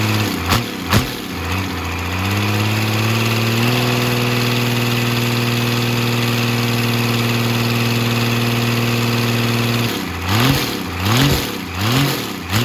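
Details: 12-valve Cummins diesel on an engine stand out of the truck, first run after a rebuild for glazed cylinders (cause unknown; deglazed). Catches and settles into a steady, deep idle, then a few clean throttle blips; runs healthy.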